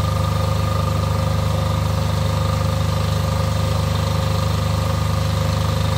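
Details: Off-grid diesel generator after service for fuel problems and cutting out, test run before load: steady even low chug at constant speed, no hunting or misses; lumpiness seems cured, idling smoothly.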